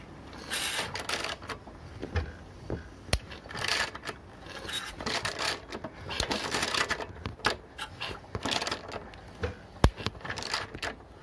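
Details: Citroën Ami 8 engine cranking with misfires and coughing through the carburettor: uneven crackling snaps as the breaker points arc heavily, weak plug spark and a very hot coil; owner suspects a faulty ignition condenser.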